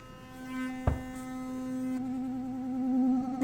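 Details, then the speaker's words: Sonicare Optimal Clean toothbrush with the pressure sensor feature turned on: a steady buzzing tone that shifts pitch and wavers when the head is pressed hard, the pressure warning working normally. "So let's turn it on and then I'll show you, I'll demonstrate the pressure sensor. That's option number 3. All right, pressure sensor is on."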